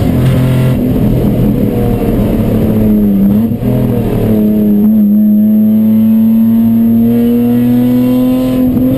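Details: Chumpcar race car at Watkins Glen, mid-day Saturday: loud engine under load with rising tone that roughens and stumbles irregularly, a misfire.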